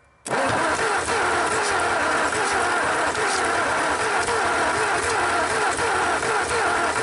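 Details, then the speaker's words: 1954 Ford Y-block 239 V8 on its first start in 20+ years: catches and runs rough, popping through the exhaust and carburetor. Owner suspects a wrong firing order or distributor position on the cap. "I hear it popping through the exhaust and the carburetor a little bit, so it may be off."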